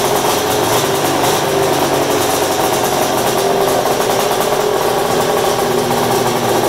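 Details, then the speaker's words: Polaris super mod flatland snowmobile project, started in the shop on mixed gas, smoky. A loud, raspy two-stroke buzz holds steady with crisp firing and no knocks or rattles; the engine is running healthy. "Oh God the smell of 2-stroke in the afternoon that's like Cologne Oh the thing that sounds so good put all that smoke in the air that's the best part about a 2-stroke"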